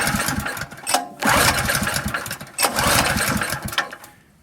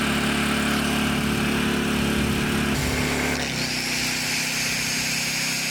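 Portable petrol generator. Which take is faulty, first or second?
first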